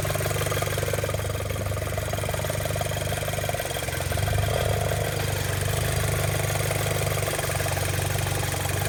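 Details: Audi B7 A4 at warm idle with no fault codes: an uneven soft flapping beat under the engine drone, source not found. Owner suspects a loose timing belt tensioner.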